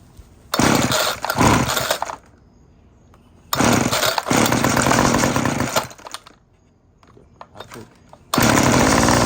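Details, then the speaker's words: Homelite UT20024A Zip Start curved-shaft trimmer with aftermarket Ryobi Ruixing carburetor, low and high speed screws adjusted, fresh gas, Bosch plug, restarting: fires right up, strong throttle bursts, clean rasping note, quick idle drops; runs healthy. "Um and I adjusted the low and high speed screws and actually sounds like a good runner to me."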